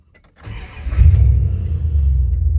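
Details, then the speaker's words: Dodge truck after Sea Foam: hesitated on hard acceleration and stalled, then a short crank, catches within a second and settles into a rough low idle; owner suspects a sensor or intake plenum gasket. "Kind of wanted to hesitate on me there on hard acceleration. And it died on me."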